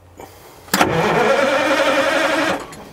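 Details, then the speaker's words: International Transtar 4300 semi sitting about 20 years, not locked up: nearly two seconds of even cranking at about four turns a second, then stops without firing; almost started, ether next. "yeah, almost started."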